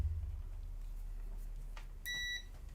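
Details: ZX Spectrum board short hunt: after cutting a suspect chip's pin, the continuity tester still gives one clear high beep, so the short remains and that chip isn't the cause.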